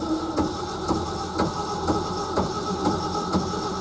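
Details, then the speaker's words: Early 1970s Ford F-350 pickup, sat about 7 years, clutch in, neutral, gas poured down the carburetor: steady starter whir with slow even compression thumps about twice a second, never catches; cranks but won't fire. "No, I ain't getting nothing off that gas. Nope."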